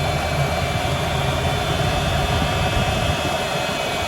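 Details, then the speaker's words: Ford engine idling after power steering pump reservoir leak repair with Dorman 603-900 kit and refill with power steering fluid: even, smooth low hum, no whine or groan from the steering pump; no leaks found. "All right, we're gonna start it up, see if we have any leaks. No leaks."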